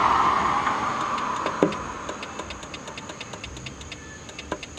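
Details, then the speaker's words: Buick horn circuit: faint even clicks about three per second when horn pressed, no horn tone, over passing traffic; owner suspects a bad horn relay. "but you should be able to hear that click I think it's a bad horn relay or whatever that really is acting is the horn relay"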